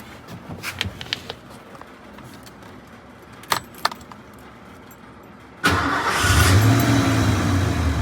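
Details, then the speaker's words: 1988 Ford F150 5.0L V8 after the engine coolant temperature (ECT) sensor was replaced to cure long cranks. It catches instantly and settles into a steady, even idle. The check engine light went out and the idle is smoother, a normal start. "Fires right up. My check engine light went away. Idle's a lot smoother."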